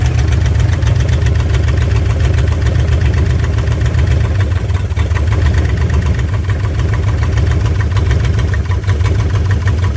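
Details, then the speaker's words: 1958 Chevrolet Bel Air, rebuilt engine long sitting, first start after the idle was turned up: low, rumbling, slightly uneven idle that keeps running. First start after sitting, heat cycle one. "Who knows how long this thing's been sitting in that accelerator pump's trying to work."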